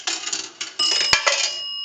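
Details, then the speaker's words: Northern Electric 3-slot payphone after repair and conversion, final checkout via an amplified pickup taped to the receiver: a nickel rattles down the chute, then one clear bell strike rings out and hangs. Normal nickel signal. "We'll do a nickel. That will ring the bell 1 time."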